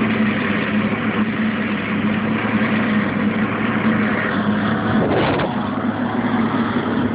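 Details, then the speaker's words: Dryer running with the back access panel removed: a loud, even whirring roar without a beat while the drum turns, coming from the lower belt tensioner/idler pulley area. The tensioner pulley is suspected, not confirmed. "remove the back access panel you got your lower right there and you have your belt tensioner right there and that is where the noise is coming from"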